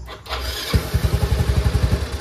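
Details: Yamaha Mio i 125 scooter whose throttle position sensor had been disturbed. The engine catches and chugs unevenly for about a second at roughly ten pulses a second, then dies when the throttle is opened slightly. The misadjusted TPS causes the stalling.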